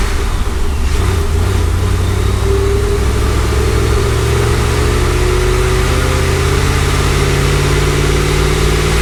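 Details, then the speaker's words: Supercharged C5 Corvette V8 on dyno after replacing an arcing plug with new regapped plugs: pulls cleanly, tone rising evenly, no sputter, banks equal — smooth running under load after misfire fix. "oh much better i didn't hear the sputtering how'd that one look sound better more business no more no more yeah it sounded smooth"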